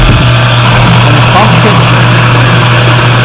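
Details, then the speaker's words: Cottage water pressure pump with foot valve in the lake, primed using a submersible pump, filters not yet fitted: loud, even low hum building pressure, no surging or rattle; normal run before cut-off. "Punk should cut cut off that means that everything is working up to here"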